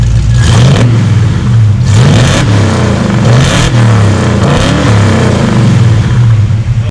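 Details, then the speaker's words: Ford 351 Cleveland V8 in an XC GXL Falcon after a cam swap and tune with ICE ignition: deep, even rumble blipped several times with no misses or knocks; healthy revving. "Oh, beautiful. It sounds killer, eh?"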